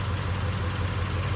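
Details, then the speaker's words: Flathead V8 with 1.5-inch single exhaust, choke pulled slightly, not yet warm, coolant finding its level in the non-pressurized system but not overheating: even, smooth, very quiet low idle with a soft pulse and no knocks, misses or ticks. "But you can hear the engine runs really good. It's very smooth, very quiet."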